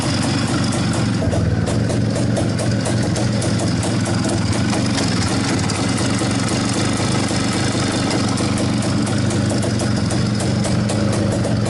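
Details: Izh-49 two-stroke after treating piston knock with solid lubricant and checking ring gaps: steady idle with revs raised, even beat, no knocking or slapping heard; the engine runs clean.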